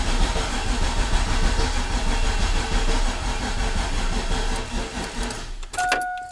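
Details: Freshly built turbo 6.0 LQ9 LS V8 in Silverado street truck, first crank on new Holley tune, oil pressure slowly climbing: labored, uneven starter churn about 1.25 turns a second, dragging then cutting out; weak battery suspected.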